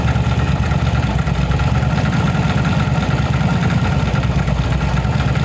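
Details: Yamaha V-Star 1100 Classic V-twin (same engine as Bulldog BT 1100), after repair of backfire and spark-plug flooding traced to a rotten pipe: even, steady low thump from both cylinders, no misses or popping; normal healthy idle.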